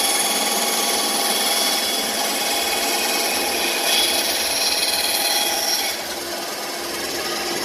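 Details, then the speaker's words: Bandsaw, new and still being dialed in, cutting along a curved line after relief cuts: even hissing rasp through wood, no bogging or chatter, easing off near the end; normal bandsaw cut. "Okay, so now I've made my relief cuts. Now I'm going to cut along that line."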